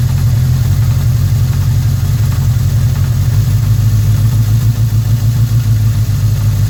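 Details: 1981 Suzuki GS650G motorcycle: loud, steady idle with a dull knock in the low rumble; something inside the engine knocking, cause not pinned down; engine knock.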